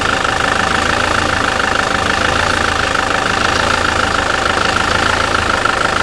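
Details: SsangYong Kyron diesel, 2007, about 200,000 km, after dual-mass flywheel and clutch replacement: steady, even idle with smooth clatter and no knock or rattle; runs quietly and healthy.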